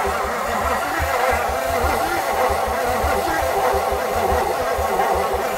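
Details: 1959 Edsel Corsair Ford V8 parked 40+ years, oiled cylinders, spark and new cap fitted: steady cranking about a hundred a minute with brief attempts to catch that never keep running; cause not confirmed.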